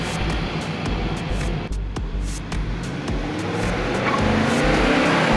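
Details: 2019 Nissan Titan V8: starter churns at about four turns a second without catching, a long crank with no start. Battery ruled out, code P0725 stored. Crankshaft or camshaft sensor suspected, fuel pump possible though it primes consistently. Cause unconfirmed.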